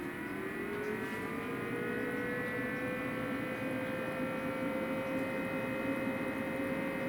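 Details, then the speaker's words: EcoFlow RIVER 2 portable power station charging from 240 V at about 340–350 W from 30%: steady high whir rising slightly in pitch. The small rear cooling fan is very noisy while charging. "one thing that I have found with this is that it is noisy when uncharged this little fan on the back is very noisy when this gets charged it's only a small fan"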